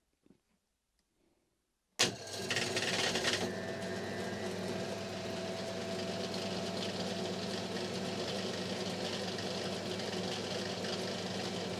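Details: Lathe skimming the armature commutator from a failed Rexon BTS10A table saw motor, with aluminium tubing protecting the shaft gearing and a dead centre in the end. The motor spins up from silence with a sharp start, then settles to an even hum with a faint steady tone: normal smooth running.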